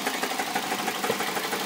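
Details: Toyota Celica GT 2000 engine at idle; quick, fairly even ticking knock at several beats a second over a rough idle that disappears when raised to 1500 to 2000 rpm. Cause unknown: engine knocking at idle.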